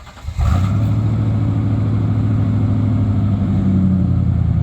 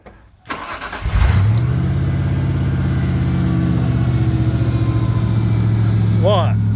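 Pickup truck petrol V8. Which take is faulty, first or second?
first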